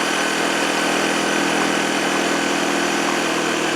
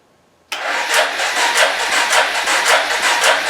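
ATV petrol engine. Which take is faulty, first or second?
second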